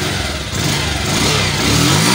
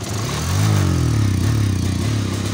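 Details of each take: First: Bajaj Pulsar 150 after repairing a missing/jerking problem, full revs on test: engine revs up smoothly and evenly with no stumble or misfire, pulls cleanly through the rise; normal revving. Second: Bajaj Pulsar 150 with a misfiring, hesitant complaint: uneven, stumbling exhaust beat that surges and drops when revved instead of climbing cleanly. Misfire.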